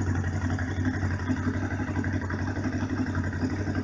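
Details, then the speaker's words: Honda VFR 750 RC24 V4, cold after sitting overnight, on manual choke: steady even burble at raised idle, no knocks or misses; runs very correctly. "Donc elle tourne très très correctement, hein, parce que là elle est avec le starter. On entend qu'elle tourne bien bien haut."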